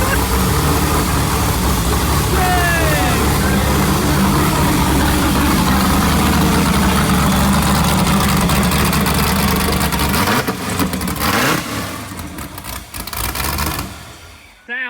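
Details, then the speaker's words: Rebuilt wrecked sand rail buggy cranked after repairs, running on jack stands: strong steady engine note with even firing and no knocks or misses, then drops away; healthy running despite a small fuel leak and radiator needing repair. "Golly, man. This thing sounds so good."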